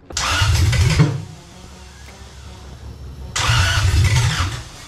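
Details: Barn-find Lexus 1UZFE V8, first start after 6 years standing, after wiring, fuel lines and pump: two bursts of rough cranking and catching, low uneven rumble firing then dropping back; smoke from ATF put in cylinders.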